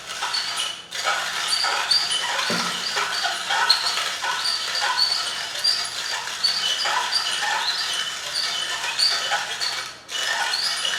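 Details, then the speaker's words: Stelton manual metal coffee grinder turned clockwise: rapid scratchy rasping in rhythmic strokes with a thin metallic edge; as the beans run low the burrs spin quicker and the metal-on-metal pitch rises, which is normal grinding. "So you'll hear when the bean amount inside gets lower, it will spin quicker and the pitch will become higher in the metal grinding sound, metal on metal."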